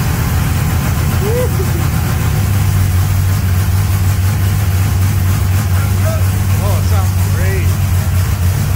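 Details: Mustang project with freshly installed V8 (1200 hp NOS build), first start on jack stands, in gear, running a bit rich: deep, loud rumble holds steady and even with no knocks or ticks; running cleanly.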